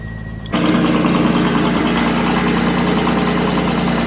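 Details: 1970 Jaguar E-Type Series 2, cold start on choke with oil pressure gauge just above 40 and choke being brought down; catches cleanly and settles into steady, even idle held slightly high; healthy cold engine warming up.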